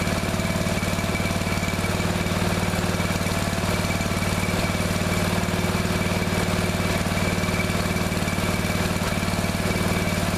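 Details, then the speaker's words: Neglected riding mower revived, after replacing fuel line and clamps, refitting shutoff and filter, fresh gas, jump pack on weak battery: even, steady single-cylinder beat at constant speed, no stumbles or surging; runs perfectly now. "all right so seems to run perfectly now that's good it's real good for all that work had to do to it so that's good"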